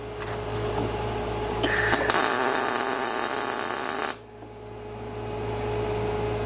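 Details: Everlast Cyclone 212 MIG welder, about half-inch stick-out, burn back raised to about 0.3 after wire stuck in pool: steady crackling arc for a couple of seconds cuts off cleanly to background hum; proper burn back.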